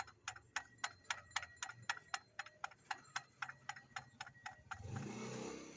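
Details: Engine with a rough noise: sharp, regular ticking at about four per second over a quiet engine, caused by worn-out tensioner and water pump bearings.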